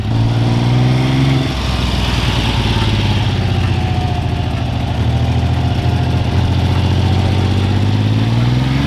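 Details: Freshly restored 1975 Triumph T160 Trident three-cylinder: idles with an even low throb, blips cleanly and returns steady. It runs smooth and healthy throughout.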